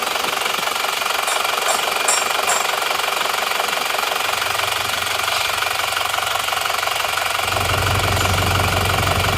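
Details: Car engine, still original, reported for severe blow-by, idling cold with the oil filler open and smoking. Rough idle with hard, regular chuffing of about two puffs a second from the filler. Crankcase blow-by.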